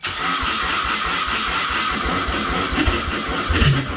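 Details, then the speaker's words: RWD Ford Fusion with swapped 2016 Mustang EcoBoost drivetrain, starter bypassed after no crank via the relay: quick cranking, then a rough, uneven, lumpy run as it barely starts and struggles; fans come on and fuel smell; cause unconfirmed. "if I bypass the starter fans came on so that's weird it kind of started they smell fuel I think it's going to"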